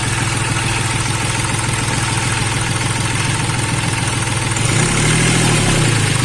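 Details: Hyundai Xcent diesel after swapping in a second-hand injector to cure excess return flow, low fuel pressure and misfire: steady, even idle clatter with no skipping, misfire gone.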